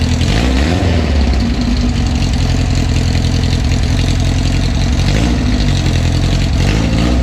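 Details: 1974 VW Bus that sat over 10 years, running a non-original engine (the bus was originally fuel injected), back on the road; deep, steady air-cooled thrum with an even beat and no knocking or stumbling. Normal idle.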